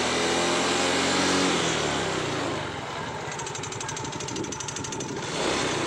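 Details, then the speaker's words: Yamaha Mio GT automatic scooter at idle, noise from the rear CVT gearbox: a quick, fairly even metallic clatter three or four times a second. Such a rough rattle often comes with weakness on climbs; the clip is labeled as worn rollers and slide pieces. "ya Bunyi kletek sangat terdengar sekali dibagian sebelah sini ya teman-teman Jadi kemungkinan besar kepada motor matic matic apapun ya biasanya eh akan banyak trouble di bagian gearbox belakang"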